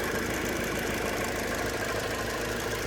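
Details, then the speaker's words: 2002 Hyundai Accent idling with a light, fairly regular tap about two per second, heard near the engine bay; seems external, source not yet found, before oil change and spark plugs. "It's definitely making a weird tapping noise. But it sounds like it's like right here. Like, almost sounds like something right here externally is tapping."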